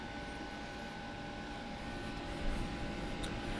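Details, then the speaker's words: Homemade R600a condensing unit in a Budweiser drink cooler, cabinet at 1.6 after opening, frost forming on the pipe, cuts off at -5. Quiet, constant low hum with a few steady tones and no knocking; the compressor runs smoothly. "we'll go ahead and let it satisfy here it's a pretty quiet unit"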